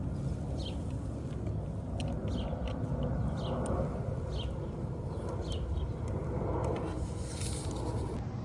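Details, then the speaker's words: 1986 Honda Spree two-stroke scooter after fitting a new carb; old one thought clogged. Quiet, even idle humming steadily, no stumbling or hunting, birds in background; idles perfectly. Normal idle. "all right so we have the new carb on the Spree and now it runs and idles perfectly it gets up the speed a little bit quicker so I'm assuming that the old one was kind of uh clogged up"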